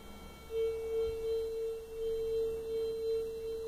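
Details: 1977 Fisher 552D metal detector, about 38 years old, battery connector re-soldered and new 9V batteries fitted: clean, steady high beep for about three seconds over a small target; responds properly.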